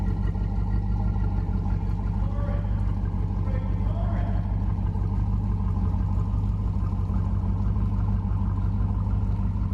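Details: Flooded, wrecked 2014 Super Aéronautique 230 inboard surf boat after engine flushes, running mid-rebuild with water supplied through a reverse plunger. Deep, steady, even idle rumble with no knocks or misses; sounds healthy.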